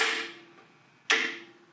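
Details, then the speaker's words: Bandsaw's added air-cooler solenoid valve, with the motor disconnected, switching on with the saw: two sharp, clean clicks about a second apart in a quiet room. It is working normally. "Now, if you listen very carefully, when I turn on the bandsaw, you'll hear the clicking. I'm going to disconnect the motor, so that all we'll hear is the solenoid."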